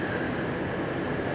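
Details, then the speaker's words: 2002 Chevrolet Trailblazer 4.2L straight-six with misfires on cylinders 4 and 5, after swapping coil packs, idle dropping to 550 rpm: low, uneven idle with irregular dips and stumbles; misfire at idle. "see what happens should start misfiring now the idols coming down again 550 RPM huh"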